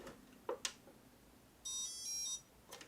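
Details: Cutra CtrlAX ultrasonic cutter (40,000 vibrations per second, three power levels, continuous mode), switched on after connecting. A couple of handling clicks, then one clear high beep under a second: normal power-on signal.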